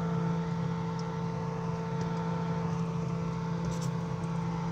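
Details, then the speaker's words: Inverter refrigerator converted to conventional operation, in the cooling cycle: steady, even low hum with a faint constant whine. The compressor and fan are running smoothly, a normal cooling cycle. "Dan kipas pun hidup guys, kipasnya hidup guys, kipas hidup."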